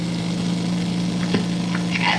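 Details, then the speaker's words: Utah Magic Wire military wire recorder, about 62 years old, rewinding with the wire disengaged from the erase head: steady low hum under a continuous frying hiss. Normal rewind sound, since the signal is not cut during rewind. "You'll actually hear it rewind because this is one of those wire recorders where the signal doesn't get cut out as it's being rewound."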